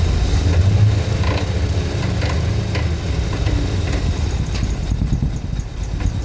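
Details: 1983 Dodge D250 318 V8 after swapping the Carter Thermoquad for an Edelbrock 600 carburetor: deep, lumpy, fluctuating idle with backfire and scattered rattles. Owner plans to check ignition timing, clean the spark plugs and plug the EGR valve.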